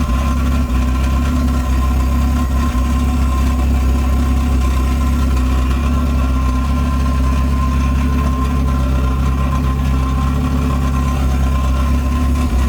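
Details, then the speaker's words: Honda Civic coupe with H2B swap and Skunk2 throttle body, TPS issue preventing revs past 3000 rpm: deep steady even idle with no misses, knocks or ticks; normal idle. "so she's alive she's running um as you can see in the video sounds good on idle"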